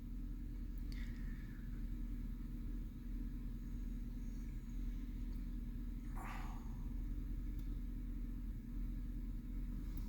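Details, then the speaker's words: 2009 Chevy Silverado 5.3L, misfire on cylinder 2 found by oscilloscope: steady low idle rumble with a faint uneven shake that worsens on a light rev; the cylinder 2 spark plug has a closed gap and is badly burnt. "se siente que tiembla más el carro ahí está temblando está temblando un acelerón lo voy a soltar"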